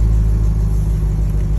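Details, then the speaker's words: 2001 Land Rover Discovery 2 restarted hot after a test drive: short, steady, even low rumble with no stumble or misfire; the hot no-crank no-start, not fixed by a new starter, was a bad main ground at the alternator. "bad ground that was keeping my truck from running and it was the main ground that uh attaches to the alternator so now we're good to go"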